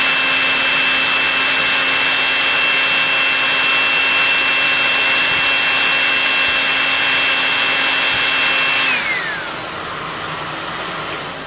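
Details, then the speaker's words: Electrolux PN4 power nozzle, about 40 years old, first test run after re-greasing the motor and brushroll bearings, belt not connected; steady high whine, rpm rising slightly, winding down smoothly at switch-off with no scraping; normal motor run. "you heard the motor rpm gradually begin to rise a little bit as everything receded to itself"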